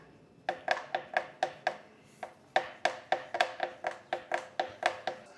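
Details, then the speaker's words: Specialized Crux headset, pressure on the head tube, before headset replacement: sharp, crisp pops in short bursts; a flimsy top spacer bearing leaves play when torqued to spec. "And when you cinch everything down, when you torque everything to spec, that gives you a little bit of play in the headset. On the short term, what it does is it makes this horrible popping noise."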